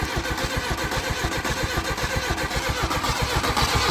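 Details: Mk1 Volkswagen Golf paddock find on its first start after long storage, with the points needing adjustment: choppy chuffing at about two beats a second as it catches and barely keeps running; rough running.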